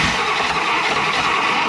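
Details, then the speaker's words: 1960 Buick LeSabre, replacement factory 364ci nailhead V8, rebuilt carburetor not yet adjusted, broken distributor lead wire found: steady churning crank with faint occasional sputter that never catches; fires weakly but won't start. "come on she acts like she wants to do something"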